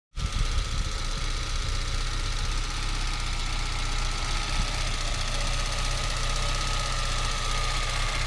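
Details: Citroën Xantia Activa Turbo CT idling: a low, slightly uneven pulse with faint knocking under the exhaust note; slightly rough idle, cause unclear, work in progress.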